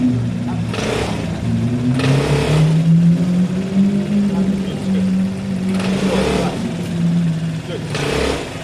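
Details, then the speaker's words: Bike, apparently the Piaggio Fly, after a weird-noise fix with a part removed that had lost grease: small revs that settle to an even drone with no banging or clunks; runs clean and healthy. "all right guys so we have a quick clean and wipe down it actually looks good it writing runs fine it's safe"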